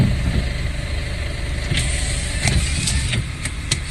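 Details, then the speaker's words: 2014 Honda CR-V, 4-cylinder transverse engine, at idle: sharp, irregular light rattles every half second or so from the engine bay's passenger-side serpentine belt area; the tensioner was seen bouncing, and its spring is suspected weak; tensioner replaced. "客户说能听到发动机舱里哗啦哗啦的响声，手机录的不是很明显，我们再来听一"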